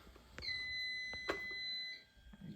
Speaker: can hear the annunciator beeping. Okay, there it is, smoke heat detector garage.